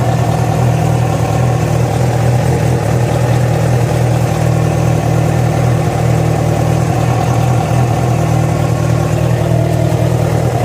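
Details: Yamaha FZ6 inline-four running steady with a low drone and a faint, uneven tapping; the strange noise started after riding about 70 km on two cylinders due to a failed ignition coil connector. Cause undetermined.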